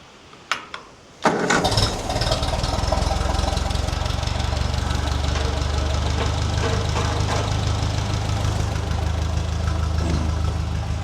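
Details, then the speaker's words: Ferguson TE20 tractor, restored with new ignition, fuel tank and radiator and an oil change, after the fuel line was bled to get full petrol flow to the bowl: a couple of cranks, then a steady, even low beat with no misses; normal running. "Ah, she sounds good."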